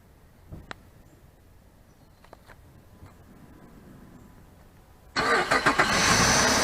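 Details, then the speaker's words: 2006 Jeep Grand Cherokee V6 started right after water pump replacement, before bleeding the coolant air bubble: engine fires promptly and settles into a smooth, even idle with no squeal, knock or chatter, much quieter than before; no leaks seen. "oh it sounds a lot quieter than it did before we changed it"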